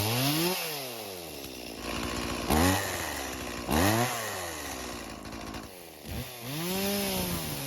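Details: Stihl chainsaw left in a barn for years, after a small turn of the idle screw; its carb is non-adjustable and working properly: revs climb and fall back cleanly, settling to a steady crisp idle; normal running.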